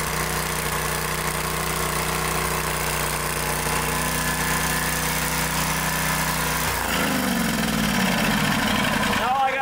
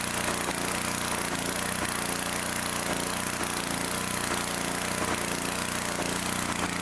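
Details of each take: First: 2-cylinder small engine previously running on one cylinder, after replacing both intake manifold gaskets: smooth, even firing with a steady note and no missing beats, revs dropping away at the end; now running normally on both cylinders. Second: 2-cylinder engine, reassembled with the plug back in, runs loud with a faint lopsided beat about twice a second, one side still cool; later traced to backed-out bolts letting the intake manifold suck air.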